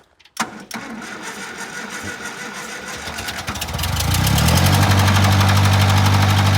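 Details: 1953 Massey Ferguson TA20 tractor, probably not run since last winter, first start after fresh gas and a battery: a few seconds of cranking, then it catches and settles into a steady, even idle; healthy start.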